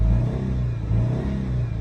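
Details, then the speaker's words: 2008 Subaru Impreza flat-four, 211,000 miles, shaking and lacking power, running on two cylinders from a dead ignition coil: revving sounds lumpy and uneven, beat stumbling; misfire from failed coil pack. "so the coil had died which is pretty common"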